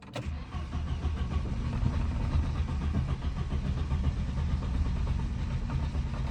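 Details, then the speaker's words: 1990 Volvo 240 automatic, sat 6–7 years: starter spins the engine evenly for several seconds but it never catches; acts like no fuel, fuel pump relay blamed. "It's acting like it don't got fuel. Fuel pump relay."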